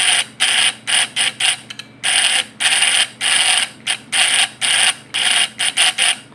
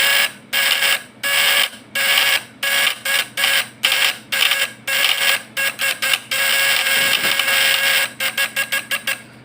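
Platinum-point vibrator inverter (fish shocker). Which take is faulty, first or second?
first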